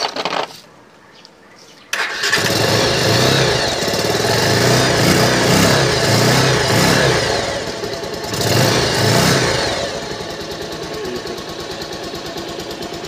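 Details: R-180 motorcycle after replacing busted pulser coil and neutral sensor O-ring that caused hard starting and no electrical power: quiet, then engine fires at once and holds a steady even idle with a light rev blip; starts properly.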